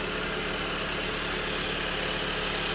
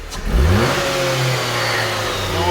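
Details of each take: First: Jeep Compass after timing chain replacement for an engine rattle: smooth, even idle with a steady quick beat and no knocks or rattles; normal healthy idle after repair. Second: Jeep Compass engine revving with a light metallic rattle that follows engine speed, heard before the cover is removed. The timing chain was then replaced.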